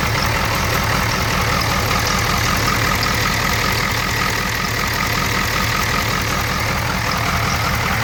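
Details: 1994 7.3 IDI diesel at idle: loud clatter with an uneven, lumpy beat instead of a steady rhythm; rough idle, though it runs normally under throttle.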